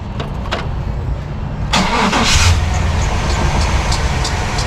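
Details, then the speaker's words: 1998 Chevy 1500 2WD 350 truck, after swapping the early big-body starter for a newer small-body starter: a few slow, heavy cranking beats before the engine catches and runs. It seems to drag less than before; worn starter. "I just tried it again of course it's always off camera but it it did drag still like that first little it's like it's having trouble you know working up"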